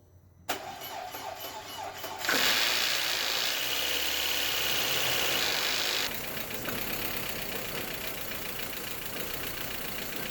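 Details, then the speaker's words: 1.8T Audi A4 starting after ignition wiring harness replacement, unstarted for months with fresh oil and possibly dry lifters: short crank, fast catch, then lumpy idle; not a misfire but a vacuum leak under the intake. "it's not a misfire it's a vacuum leak I'm so stoked that is just great news"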